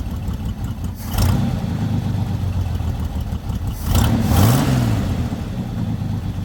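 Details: Lowrider V8 after the dipstick oil leak repair, now no longer leaking from the dipstick: deep burble settling into a steady low idle after a couple of blips, with no knocks or misses. It reaches idle faster than before. Normal idle.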